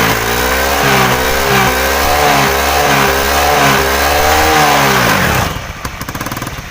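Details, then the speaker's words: Honda Beat scooter after CVT repair: revs rise and fall smoothly, then drop back to idle. The earlier CVT squeal is gone after fixing a loose, dry part at the kick/starter gear area. "oke teman-teman ya jadi di sini untuk suara decitan yang tadi hilang sudah hilang ya enggak ada suara berdicit"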